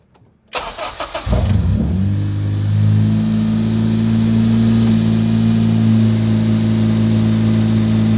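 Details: K-swapped car right after the fuel line was replaced and a leak at the pressure-regulator line fixed, fuel primed twice before starting: quick crank, then a clean catch and a steady, even idle with no stumble or misfire, healthy start.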